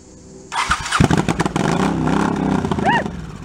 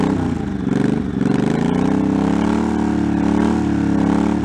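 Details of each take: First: 1984 Honda Shadow VT700C V-twin, first start after 7 years idle and rebuilt carburetors and starter, main tank off, fuel leaking at hose clamps: short starter cranking with a few uneven pops that never settle; cranks but won't start. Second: 1984 Honda Shadow VT700C, unrun for over 7 years, first start after rebuilt carburetors, starter and new fuel lines, with starting fluid: even low V-twin rumble rising and falling with throttle blips, no knocking or clatter; runs fine, rpm gauge not working.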